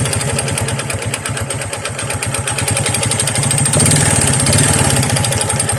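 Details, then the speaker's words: Honda XRM 125 single-cylinder before overhaul, original connecting rod not yet replaced: hard regular knock about three per second over idle, busier as revs rise; connecting rod knock, later fixed with new rod set. "hindi natin Pinalitan ng set na connecting r naeliminate ba natin o may natira pang ingay"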